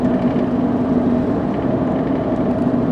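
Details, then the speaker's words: 2001 VW Passat turbo with 114,610 miles, test drive at about 50 mph: steady, even road and tyre rumble with no knocks, whines or rattles. Quiet, smooth ride, normal road noise. "Alright, I gotta say, there's not a lot of noise or anything. It's pretty quiet, very smooth, so overall pretty good ride in this car."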